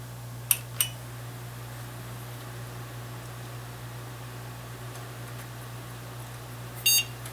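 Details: A steady low fan hum, then one short clean beep a few seconds in: newly built PC posts normally on its second power-up, CPU fan spinning, not under load, hard drive spinning up.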